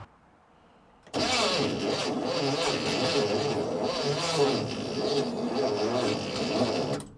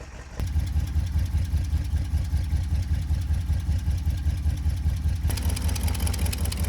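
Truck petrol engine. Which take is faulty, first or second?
first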